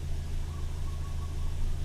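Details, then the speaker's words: Toyota Yaris one month after a 1ZZ throttle body swap, parked at 0 mph, idling before and after a quick throttle blip: low steady hum holding one even speed with no hunting or surging; normal idle, still holding fine. "so i just blip it real quick yeah you can see yeah so seems to be holding okay seems to be still good still holding fine"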